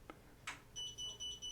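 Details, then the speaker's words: Enhance Mobility MoJo automatic folding scooter that cut out after a bump, LCD screen replaced, moves without key inserted: short high-pitched beeps, three at a time, when reverse is selected and it won't reverse; fault cause suspected, not confirmed. "Beeps 3 times when it tries to go in reverse, but there's no key activated."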